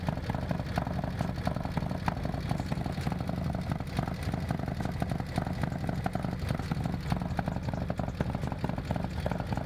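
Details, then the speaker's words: Harley M8 with S&S 124 kit and Samson exhaust, first fire-up after the build. Deep uneven V-twin lope with busy top-end ticking. The lifters have not yet built pressure and should quieten with heat cycles. "once that cam starts building once the lifters start building pressure then it'll start cackling more foreign so basically it'll be noisy the lifters are gonna build pressure up"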